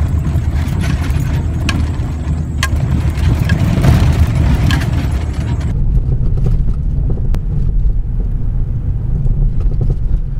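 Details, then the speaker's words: Worn shock absorbers, expired, out of oil or without pressure, knocking: heavy low road rumble with scattered hollow clunks as the car rolls over potholes, ruts, muddy ditches and loose dirt. "en este vídeo te mostraré cuál es el sonido que provocan los amortiguadores cuando ya no sirven por desgaste de uso vencidos por falta de aceite o sin presión cómo es que se escucha el golpeteo en diferentes situaciones por ejemplo en caminos irregulares como baches zanjas llenas de lodo y tierra suelta"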